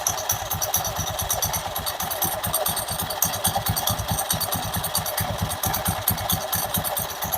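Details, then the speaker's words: Honda Beat Pop scooter idling with the CVT cover removed; the belt is good apart from small cracks, and the noise is traced to the clutch unit: a dry, uneven metallic clatter of about two raps a second. CVT clutch rattle. "Saat kita membuka penutup CVT seperti ini, suaranya sangat jelas terdengar. Bunyinya berderak seperti ini,"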